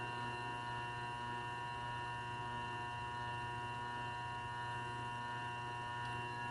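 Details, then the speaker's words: New Grizzly G0758 benchtop mill, first power-up, spindle break-in in low range set about 50 (reads 49), 10 minutes per speed. Steady even motor hum with constant tones, no knocks or grinding; normal spindle run-in. "so now it's 10 minutes running here and then we increment it to one other speed in the low range and then we switch to high we do two speeds in the high range so we're starting out in the low range"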